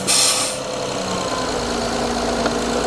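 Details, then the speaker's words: Honda J-series V6 just started after VCM spool valve oil leak repair and reassembly, engine cover off: loud airy hiss over the engine hum. Giant vacuum leak. "So, listen for hissing noises. If you hear a big one, look for a vacuum leak."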